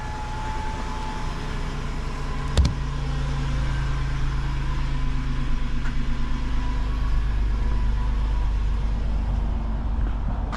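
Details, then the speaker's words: Van with only 11,000 miles at a pre-purchase inspection, started to warm up: even, smooth low idle with a steady rumble and no knocks, ticks or misfires; sounds healthy and feels normal. "It it sounds good. It doesn't feel weird."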